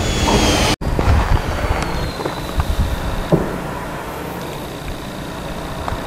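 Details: Ocotillo Wind turbine, 2015: thin high whistle from one blade over heavy wind rumble, with dull clunks seconds apart at the bottom of each rotation.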